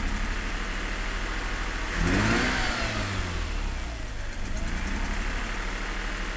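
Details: RX8 110000km 2004 - Broken Sideseal - Very rough idle, power loss, pulsating air suction sound; rough uneven rotary idle, pulsing sucking air noise grows even louder on throttle blips.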